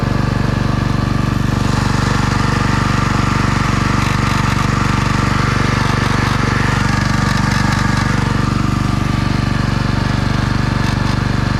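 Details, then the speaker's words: Husqvarna pressure washer engine at steady speed: heavy low thrumming with even rattle about four beats a second; vibration seemingly from the bottom of the frame, not pump or engine, unconfirmed. "Well, that noise sounded like it was either coming from the pump or the engine, that heavy vibration whenever I twist the frame, but apparently it's not coming from either. It sounds like it's coming from the bottom of the frame that's holding it."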